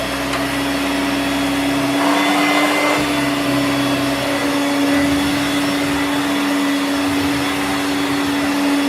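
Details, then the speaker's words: Hoover Turbomaster U5094 upright vacuum after refurbishment, brush roll off: steady, even motor hum at one pitch, no rattle or grinding. Both motor bearings had been seized, the fancase one spinning around the armature shaft; now running smooth and healthy. "It sounds very smooth now. Both the motor bearings were seized. One was running itself around the motor shaft rather than being a bearing, but it hasn't done much damage."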